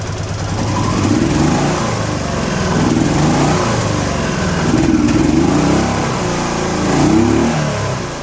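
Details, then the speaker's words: Honda Pacific Coast PC800 converted to fuel injection with MicroSquirt, engine warm, revved in slow swells running lumpy and stumbling; air-fuel table still being auto-tuned, fuelling not right yet. "there's still some tuning to be done obviously so basically what it's doing is trying to figure out where to fix the table to try to keep the air fuel ratios set to the way that i have it set up"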